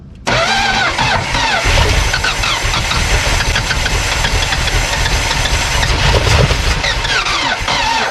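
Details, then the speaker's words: 1972 Plymouth Fury Sport III, sitting about 10 years, first start with fuel poured in: starter drags slowly before the engine catches and runs with a busy, uneven clatter; slow cranking on start. "All right, that's okay. I don't mind a slow start because I would like for all the oil pressure to pump up before she just kicks right off, you know what I mean?"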